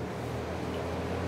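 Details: Country Aire metal box fan, recently oiled, on high speed: even full whoosh of air over a low steady motor hum, no ticks or wobble; running healthy.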